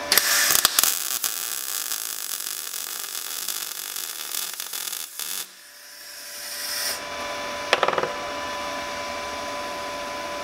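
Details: Everlast Power i-MIG 140E MIG welder after the voltage was turned down a notch: steady crisp frying crackle for several seconds without popping or sputtering, normal MIG welding with the wire feeding well.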